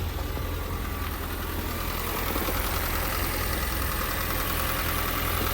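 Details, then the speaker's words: Rebuilt wrecked Ford Fiesta hatchback (2011-2019), 86,000 miles, first start: small four-cylinder settles into a steady, even idle with a smooth low hum, no knocks or ticks; starts very well, no issues. "I don't see no issue. It starts very well. It sounds good."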